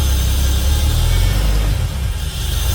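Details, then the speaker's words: Holden VY Calais V6 with 4L60E auto, first start after transmission service and coolant flush: deep, steady idle with an even beat, no stumble or skip; all cylinders firing cleanly, smoky and hot. "it's alive and smoky it's hot"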